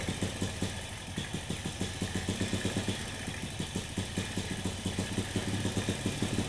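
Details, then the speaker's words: Honda Supra motorcycle that fouls plugs and blows black smoke despite a new cheap carburetor. With the air screw closed it gives a slow, lumpy rich idle that sags as if about to stall, before the air screw is adjusted. "Tapi ini dimentokin gasnya kok kayak mau mati ya. Jadi saya tahan dulu."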